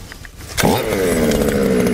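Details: Losi 5ive-T 2.0 RC two-stroke after Super Bee kill switch install: catches after a sharp pull and settles into a steady, even buzz with no stumbling; normal running.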